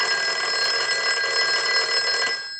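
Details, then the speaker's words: Western Electric 5302 rotary desk telephone after bell circuit service, ring cycle sent from analyzer on final checkout: clean bright double-toned bell rings steadily over two seconds then stops; normal ringing. "So we want to go ahead and use the analyzer and send a ring cycle. So we'll go ahead and start a ring cycle."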